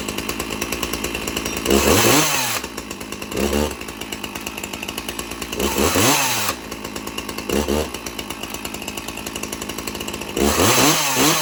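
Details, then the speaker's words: Two free chainsaws, one with a 20-inch steel bar, still holding up after months: both idle smoothly between crisp, clean revs that climb and settle without stumbling. Normal running. "And I'm definitely very pleased with them the way they ran. And they both been holding up so good for so long after I had them for about a few months."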